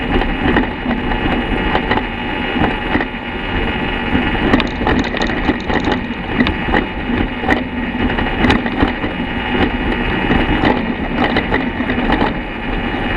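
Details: 2014 BMW F800GS Adventure coasting downhill off-road with the engine off, giving irregular hollow clunks over rattle and wind. The cause was damaged steering head bearings, suspected never properly tightened from the factory; all quiet after new bearings were installed.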